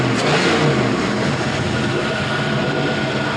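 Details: 5.3L Gen 3 LM7 V8 with 180k miles, revved at 170°F coolant temperature: strong, full, clean rev with good exhaust sound, no smoke, and no misses or knocks; normal.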